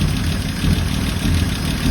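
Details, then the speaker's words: 1976 AMC Gremlin that sat about 32 years in a junkyard, first start, timing advanced; low, even idle with steady rumble, no knocks or misses: "It sounds pretty good. She's the runner." Normal idle. "It sounds pretty good. She's the runner."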